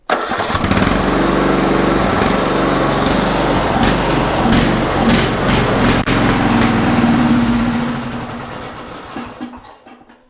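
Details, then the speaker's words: Murray Select riding mower, 13.5 hp Briggs & Stratton single, choke held shut by hand: runs now but with a surging idle, speed hunting up and down then fading; carburetor issues remain, though it no longer stalls or smokes. "So it runs now. Definitely got a surging idle. We still have some carburetor issues, but before it wasn't staying running."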